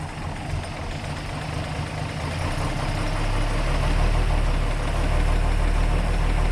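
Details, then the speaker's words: 1933 Hudson Terraplane idling: smooth, even low idle with no tick or rattle, only a soft whoosh from the fan belt and fan; a healthy running engine. "beautiful it's just there's not a a tick a rattle or anything I think you can just hear the fan belt going around or the wind from the fan that's what's making all the noise unreal"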